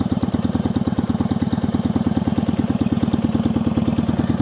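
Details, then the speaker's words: 1965 Honda CB160 161cc air-cooled parallel twin with cut-down open pipes, cold-blooded, just started and idling. Loud, fast, popping, uneven idle; owner suspects one cylinder is dead and that it runs rich, as it stalls when given gas. "I still think I've got issues with the cylinder being dead, but it's a pretty loud bike."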